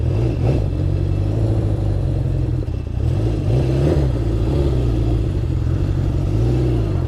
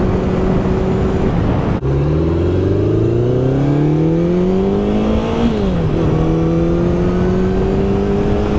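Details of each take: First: Honda CB750 after carb rebuild and sync, on a test ride: lumpy, uneven beat with no smooth four-cylinder note, sounds down a cylinder; misfire traced to faulty kill switch contacts. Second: 1972 Honda CB750 on a test ride after cleaning electrical contacts suspected of causing ignition cut-outs, recorded on a phone: smooth engine note climbing cleanly through the gears, idling well, no cutting out so far.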